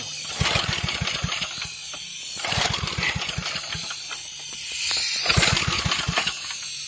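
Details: Small engine run on propane, set on the ground: three short bursts of rapid popping, about three per second, as it fires and runs, with quieter gaps between.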